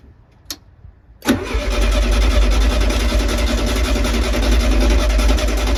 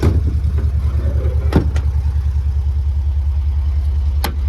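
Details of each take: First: 1972 VW Beetle unstarted for over three years, with heavy end float: steady starter cranking at about 3.5 turns a second for eight seconds, never firing. It cranks but won't start; electronic ignition and fuel lines needing redoing are found afterwards. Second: 1972 VW Beetle air-cooled flat-four, just revived after over three years standing, with a low fuel tank: it idles with a deep, even thrum, steady beat and no knocks or misses, sounding sweet. The owner says it still needs a good service.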